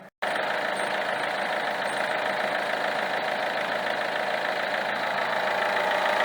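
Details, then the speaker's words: Peugeot 307 2.0 HDi 110 hp diesel, 240,000 km, idling, heard under the hood at the belt end: constant rough whirring rattle; Bosch alternator decoupler pulley found faulty. "voilà donc on a bien entendu le bruit qui provient donc de cette zone maintenant reste à savoir vraiment d'où il provient"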